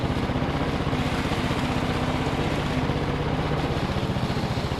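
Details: Victa Briggs & Stratton push mower after fitting a new trimmed cable: steady, even single-cylinder beat with no misses, surges or knocks; runs normally.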